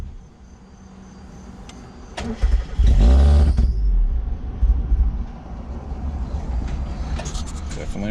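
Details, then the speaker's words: Mazda MX5 Miata, MAF disconnected: cranks, catches with rough flare, sags and dies; loose intake manifold with missing nuts leaking unmetered air causes the stall. "all right so i was messing with stuff like your idle air control valve and then i noticed that this whole thing's moving this is not supposed to be moving"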